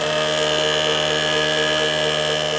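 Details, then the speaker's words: Late-1980s Quasar VH5471-K VCR (Panasonic mechanism) in play mode: constant high steady whine, capstan motor running flat out whenever it should be playing; no speed control, idler also faulty. "so another customer is like a running full-speed whenever it is supposed to be playing you can see through"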